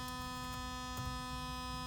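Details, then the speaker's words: Cooling fan on a car battery, driven by an MS3/Megasquirt ECU through a solid-state relay at low PWM duty cycle (above 10%): now just spinning the fan, with a steady low electrical hum and a high whine on top. PWM hum from the fan motor. "percent duty cycle and you can hear the sounds range is actually driving the pan now but you can hear that hum to have voltage"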